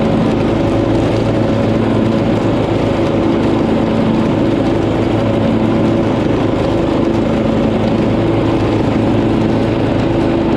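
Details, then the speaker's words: Poulan PXT12538 lawn tractor started after heavy rain, with the fuel shutoff reopened, gas added and oil checked, gives an even, steady drone at constant pitch with no misses, knocks or hunting; the buyer found nothing wrong. "so as you saw nice couple came by there was nothing wrong with the tractor for once"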